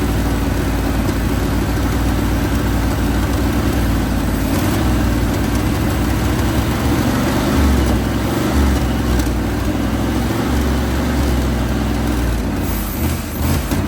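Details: 1980 Chevrolet Sierra Grande K1500 truck that sat 22 years, with a new distributor and tensioned belts. Deep, steady V8 rumble stays even throughout with no knocks, misses or surging. Normal idle.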